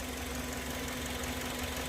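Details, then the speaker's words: Kia Sorento idling, before water is poured on the alternator belt: steady low whine with no clear rhythm. Complaint is noise and a battery light only when driving through water or rain, otherwise normal. Cause not yet confirmed here. "a gente relatou para mim que o carro tem um barulho e quando ele quando passa na água faz o barulho né Toda vez que ele passa em água faz barulho"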